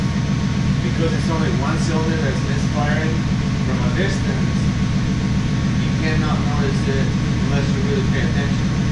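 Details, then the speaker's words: LT1 V8 Trans Am daily driver, stock cam; steady idle with an uneven, loping beat and faint ticking on top; one cylinder dropping out, misfire at idle, cause not yet confirmed. "but the stock it should have been smooth not this sound so that's a misfire right there"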